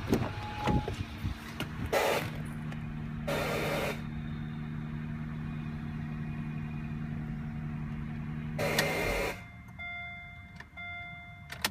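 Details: 2009 Acura MDX at idle after several minutes idling, at night: loud sharp hissing bursts of half a second to a second from the engine over a low idle hum; cause unknown.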